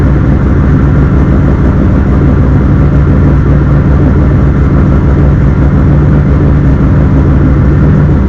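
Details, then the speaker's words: Engine on Stinger Performance Pimp XS standalone ECU, first start after install, pump primed: started right up into a steady, even low rumble with no misses, knocks or hunting; healthy idle before warm-up and tuning. "all right we're connected let's start it all right she's running started right up"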